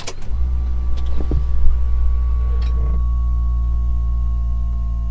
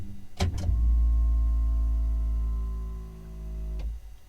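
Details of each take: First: Ferrari F430 F1 gearbox hydraulic pump priming at key-on, engine off: low, steady whine that almost sounds like a dying battery, taking about 8–10 seconds to prime, too slow; cause suspected, not confirmed. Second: Ferrari F430 F1 transmission hydraulic pump recycling after shifting through gears with the engine off: two quick shift clicks, then a steady electric pump hum for about three seconds before stopping cleanly; normal, quick recycle, though initial priming took about 10 seconds.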